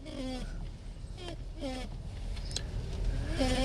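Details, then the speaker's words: 2005 Dodge Grand Caravan creeping slowly while turning with foot on brake: rubbery rising squeaks about once a second, mistaken by owners for brake noise; actually a dry steering shaft seal, fixed with a spray. "yeah i hear a noise when i hit on my brakes because normally if you turn in slow if you're rolling slow and you turn it's when you hear it so because your foot on the brake you will think it's a brake noise"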